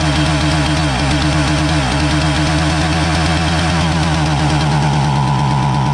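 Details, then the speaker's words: Husqvarna 450 chainsaw, starts fine but won't rev up: buzzing two-stroke stutters and sags in pitch when revved, missing beats; richening with choke doesn't help, so not fuel starvation but a common ignition problem. "so if you thought that this was a carburetor problem you wrong this is an ignition problem it's not an uncommon one"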